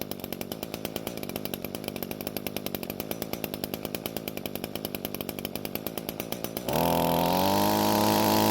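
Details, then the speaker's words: Echo string trimmer after adjusting the carb needle: two-stroke now idles without dying, slow lumpy burble about four beats a second; low-speed mixture slightly too rich, so the H screw has no effect. "so the engine is now idling and not dying and that means the adjustment worked however there's just a little too much fuel at low speeds so much so that the h screw doesn't have any effect on the engine"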